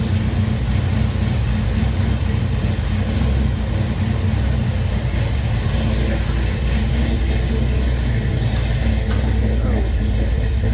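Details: Henry J engine freshly started with a Sniper EFI and replacement GM HEI module, idle-air screw opened, warming up: low, steady idle held evenly without stumbling, surging or misfire, getting louder as it heats; normal idle.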